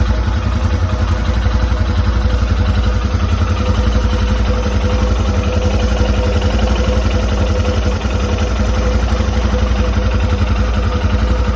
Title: Royal enfield Himalayan metallic clicking sound #himalayanlovers #royelenfield #bikelover #himalayan